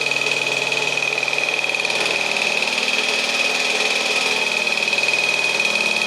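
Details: 1952 military DC generator running with adjustable voltage output, ammeter stuck near 9 A (possibly damaged by miswiring): even, rapid beat about three pulses a second under a steady high whine, no misses or knocks; normal running.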